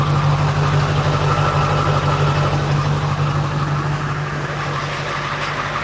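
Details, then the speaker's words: 2001 Ford F250 7.3L diesel, slow-cranking start with glow plugs, battery 12.8 V: steady, even diesel idle clatter over a low hum, healthy; a bad AC compressor pulley rattle is also present. "Yeah, diesel supposed to be noisy. I love this noise."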